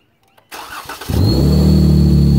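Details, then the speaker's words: VVT engine with an oil catch can fitted with a top breather, PCV side drawing vacuum from the exhaust manifold: cranks and idles with a loud steady high whistle, air through the breather; direction and cause suspected, not confirmed. "you hear how loud that whistle sounded I can't tell whether it's sucking air in or or blowing air out"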